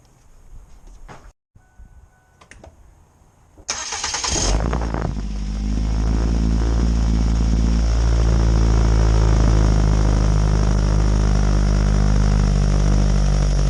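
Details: 2007 Ford Focus after replacing a starter that clicked with no start: the starter cranks briefly, the engine catches cleanly and settles into a steady, even idle with no clicking or grinding; healthy start.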